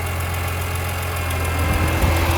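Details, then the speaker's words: BMW E46 M3 with a Mishimoto electric fan conversion, engine idling: adjusting the temperature dial on the fan controller makes the electric fan kick on with a whirring hum, then switch off again, working normally. "you hear that? The fan kicks on. Now it's off."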